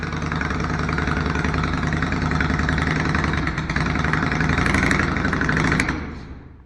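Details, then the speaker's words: Yamaha XV535 Virago twin on temporary gravity fuel feed instead of its original fuel pump: uneven lumpy idle that sags and dies, stalling as soon as the throttle is touched; owner suspects the gravity feed, not yet warmed up. "It runs, baby! It runs! And immediately after you touch the throttle, it dies."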